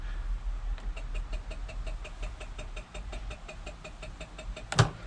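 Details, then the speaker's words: Honda moped with an old battery that would not hold a charge, start attempt before fitting a new Yuasa battery. Rapid, even clicks about five a second with no crank or catch; flat battery chattering the starter, and it won't start. "Let's just see if we can hear the clicking."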